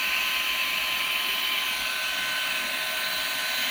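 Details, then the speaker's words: Perrysmith vacuum cleaner whose motor kept jamming and stopping from hair buildup, after cleaning, a drilled modification and the bearing adjusted back: a steady, high, jet-like whine, even throughout with no surging or rattle, running healthy. "memang macam jet eh vakum ni."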